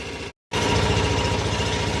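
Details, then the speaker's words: Onan twin-cylinder generator set during a power outage, under load charging devices before bed; steady even low thrum holding speed, no knocks or surging; normal running under load. "Anyway, um we're just running this to charge some devices before bed then I'm going to come out and shut it off."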